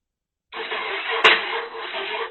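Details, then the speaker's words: 2012 Yamaha XVS950 motorcycle with a brand-new battery: under two seconds of raspy, strained cranking with one sharp click, and it never fires. The new battery didn't fix the no-start. The owner then found a loose battery ground cable fitting. "Sounds good. Now I gotta figure out why it won't start."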